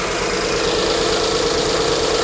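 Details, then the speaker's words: 2008 BMW 1 Series E87 120i with a 2.0 L N43 petrol engine (125 kW) that constantly misfires: just after starting it runs with a shaky, uneven beat and buzzing mid tone, a rough idle from combustion misfires. "let it run once you can listen to the whole thing once we run rough then I'll show you the engine fault"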